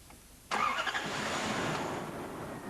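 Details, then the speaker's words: Toyota TCCS engine after replacing fuel pump relay with poor contact that caused a no-start: quiet, then engine catches at once and settles into a steady, even run with no stumbling; normal start. "We replace the fuel pump relay and check whether the engine starts normally."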